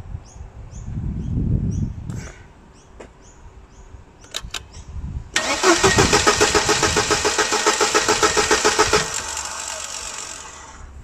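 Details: 1999 Mercedes-Benz W202 C180, code P0335 (crankshaft position sensor), after erasing codes: starter cranks with steady whirring rhythm over ten seconds but never fires; crank no start.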